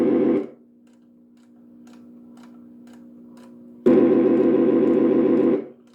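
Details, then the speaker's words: 1965 Northern Electric TeleTrainer for Bell Canada, two-line phone simulator: two buzzy ring bursts, second nearly two seconds, faint steady hum between, something mechanical running inside; ringer works normally. "And this is the ringer here. Oh yeah."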